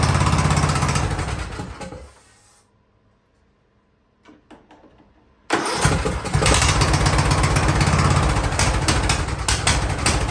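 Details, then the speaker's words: Free Ariens riding lawnmower, sat at least two years, first start attempt indoors: engine runs, fades out, cranks a few times, catches and settles into a strong steady run. "all right i think she's gonna run oh"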